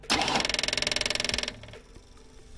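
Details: 1967 Ford Mustang revived after sitting 7–8 years, newly fitted electric fuel pump run with the key on: fast, even ticking of about twenty clicks a second, then stops as the float bowl fills; normal pump operation.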